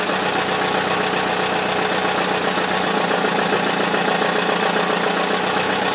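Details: Buick demolition-derby engine run with no oil and no serpentine belt (no coolant circulation) on a cold, icy, rainy day with the engine covered. A loud rattle turns into a quieter, uneven clatter over a rough idle; owner suspects the oil pump gave out.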